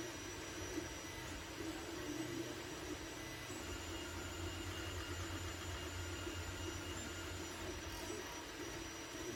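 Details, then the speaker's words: Anycubic Mega S 3D printer after hotend, mainboard and power supply fans were replaced with quieter ones; the stock part cooling fan is still noticeable: soft steady whir with faint stepper tones, normal printing noise. "The part cooling fan is still somewhat loud. Not loud per se, but it is noticeable. But with the other fans, you can barely hear them."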